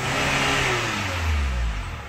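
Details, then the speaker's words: Chevrolet Captiva diesel turbo after turbo path cleaning, new turbo hose, original cartridge and actuator settings restored, VGT refitted and injector service: revs up cleanly and settles back, smooth pull with no groan or turbo noise; previous smoking at idle gone. "Jadi kemarin mobil ini saat idel pun itu mobil berasap sekarang Alhamdulillah udah hilang asapnya coba gas Bos"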